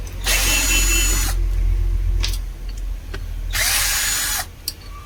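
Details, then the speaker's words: Black & Decker 13mm drill running with two harsh, gritty bursts about a second each, a rough rasp over the motor whine; worn bearing, armature found stuck inside the field. "ഇന്ന് ചെറിയ video ആണ് ഒരു sound ആയിട്ട് വന്നതാണ് ഈ drill bearing പോയതാണ്"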